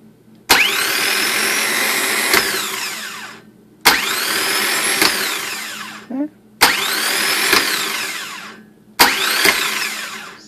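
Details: Starter from a 2005 Winnebago 38J (W24 Workhorse chassis, 8.1 Vortec) with an intermittent no-start. Bench test after teardown, powered by a battery booster pack. Four bursts of steady high-pitched whirring, each winding down freely. The starter spins evenly and sounds healthy.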